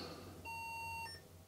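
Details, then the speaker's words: Non-working Sinclair ZX Spectrum +2 128K with a diagnostics tester fitted: one clean high beep about half a second, then a short lower chirp through the TV, but black picture; +5 V and +9 V present, no -5 V or +12 V. "and some beeping so that sound comes from the TV but there's still a black picture there"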